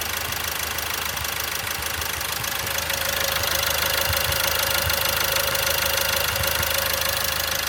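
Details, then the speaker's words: Opel Astra J 1.6 CDTI diesel (B16DTH) after engine overhaul, auto stop-start disabled, heard from outside in rain: even diesel clatter about three beats a second, no misses or knocks; no shaking, runs well. "Gram sarsıntı yok. Güzel çalışıyor."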